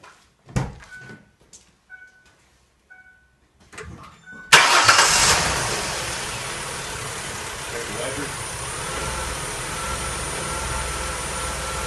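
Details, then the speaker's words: 2004 Mercury Monterey with misfire codes P0300–P0303 and P0316, after a new coil pack, fully reassembled: a few chimes and clicks, then the engine catches at once and runs steady and even with no misfire or stumble. "seems to be running pretty smooth things seems to be going okay I think we got it fix guys"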